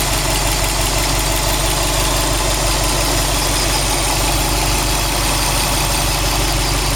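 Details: Subaru WRX STI with a brand-new engine at 800 km, stock with original Subaru parts and no tuning, 5W40 oil, 2 bar oil pressure, 85°C oil, 21°C air: loud idle with a rough, uneven pulsing about three times a second. Abnormal noise, cause not identified.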